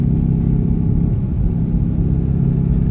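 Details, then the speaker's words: 2008 Honda Civic Hybrid while driving, after a new driver-side transmission mount was fitted: deep low rumble under road noise, swelling badly on the straight then fading; cause unknown. "real bad and then goes away goes away Rumble here we go on the straight part real bad goes away bad goes away how do I make this noise stop"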